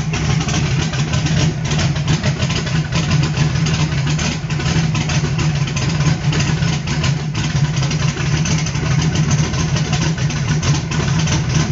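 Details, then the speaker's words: Carbureted small block on pump E85, CSU blow-through carb, no choke or aux fuel, cold start on a warm day, engine still cold and untouched; low, uneven, lumpy loping idle, E85 not yet burning properly. "as no temperature at all e85 hasn't even started to want to ignite and yeah this poor little carburetor that everybody hates works it just works"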